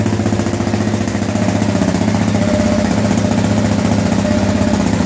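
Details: 2009 KTM 690 single after stalling/no-idle fix (injector cleaned, new fuel pump, external Golan 10 micron filter, Akro map, SAS eliminated): steady even thumping idle holding without stumbling, surging or dying; running cleanly.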